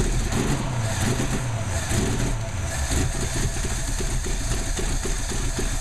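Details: Ford 289 V8 idling: lumpy idle with an uneven beat and irregular stumbles in the exhaust pulses; misfire at idle.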